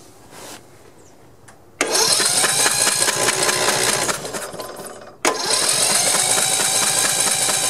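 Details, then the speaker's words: Old Snapper 1438S rear-engine riding mower, engine flooded with oil, cranked with spark plug removed to expel it: starter spins fast and evenly, no compression pulses or binding; turns over freely, less came out than expected. "all right it's definitely turning over easy now not a whole lot came out i was expecting more"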